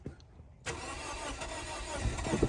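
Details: 2004 Scion xB that sat two years, weak flickering battery, fuel gauge on E, cranked with a little throttle: starter churns steadily but the engine never catches; crank no start.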